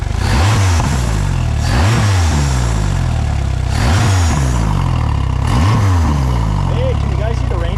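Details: Mercury 115 hp outboard from a fire-burnt 17.5 ft Lund boat, throttle cable disconnected, revved by hand: about four clean blips in eight seconds that rise and fall smoothly. The engine revs freely and runs fine despite the fire damage.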